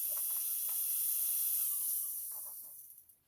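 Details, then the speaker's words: Traxxas X-Maxx RC truck ESC cooling fan: faint, high whirr with quick scratchy ticking as it spins down, blades scraping on pine needles and a leaf later removed from the fan. "that fan sounds horrible this this was in the the exv i don't know i guess there's a reason why i've got this on sherlock crap all right definitely makes it easier to get to it but oh yeah there was check it out pine needles a whole bunch of them oh wait a minute and a leaf so that was it"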